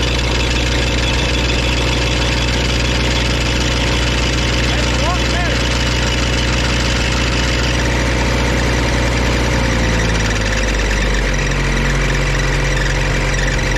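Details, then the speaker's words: Auction-bought diesel welder that fell from a crane, after shimming the generator head's rear mounts to stop a racket: steady, even drone with no rattle or knock, settling smoothly at lower speed; running clean and quiet, repair worked. "yes that is a lot better so that worked all you got to do is put a couple shims underneath these rear mounts here for the generator head or welder head or alternator head whatever you want to call it and uh we should be back in business"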